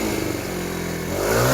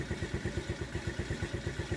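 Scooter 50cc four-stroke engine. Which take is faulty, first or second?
second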